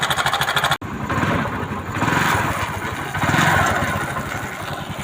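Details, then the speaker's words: TVS XL 100 Heavy Duty moped after timing chain replacement. The small single-cylinder putters at a fairly even idle with a steady beat and no knocking or chain rattle. The noise is gone; normal running. "देखो इसका आवाज़ कहाँ आ गया है, बढ़िया मस्त।"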